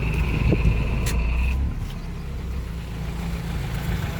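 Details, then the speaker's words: 1990 Toyota Starlet EP80 1.0 idling with the AC switched off: low, even idle with a soft steady pulse and no whine or rattle; smooth again once the noisy AC compressor is off, the compressor needs servicing. "Nah, kalau AC-nya dimatikan sudah halus lagi nggih. Kalau dimatikan sudah halus lagi seperti ini gitu."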